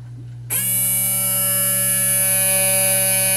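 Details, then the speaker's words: Honda electric trunk latch actuator, removed for getting hung up or stuck; tiny hobbyist motor with drive gear fallen out now runs continuously, steady high buzzing whine of even pitch, spinning freely. "the gear went on the floor there's the gear oh look at that that's nifty and the motor now will just run continuously"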